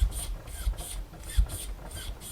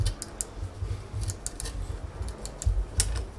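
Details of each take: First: Worn-out cheap Amazon mountain bike air shock, damper with rebound cranked up, standard O-ring seals: rough rasping rub repeating about every 0.35 seconds as shock is cycled; nasty noise from worn, gritty damper. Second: Cheap Amazon mountain bike air shock, worn out, being disassembled: quick irregular light clicks, a few per second, as the top is unthreaded by hand; just the rebound adjuster knob's detent click wheel, normal.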